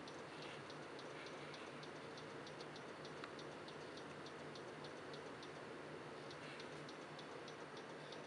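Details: Computer stuck on startup repair, won't load; quiet hum with faint light clicks repeating about every half second; repair from CD tried and system restores deleted; owner suspects hard drive failing, not confirmed.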